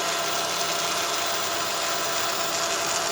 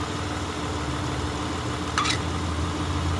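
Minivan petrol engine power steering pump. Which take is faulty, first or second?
first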